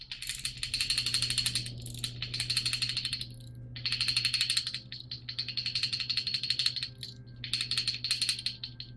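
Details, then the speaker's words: Opel CIH engine long block on the bench during valve adjustment, with cylinder 1 on the cam base circle: the rocker is wiggled by hand, giving bursts of light metallic rattle against the socket, quiet once at zero lash. Valve lash play. "And you can see right here, you just hear it. Just wiggle, wiggle, wiggle, wiggle, wiggle. Just hitting your socket."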